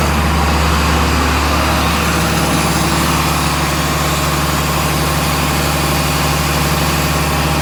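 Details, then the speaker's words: John Deere 4755 tractor idling to warm the transmission oil before hydraulic pressure tests of each clutch pack; it barely drives forward or back. Steady, even low diesel rumble, no knocks or misses; normal idle. Tests later found pack leaks. "Just warming the oil up, it's taking a bit of time."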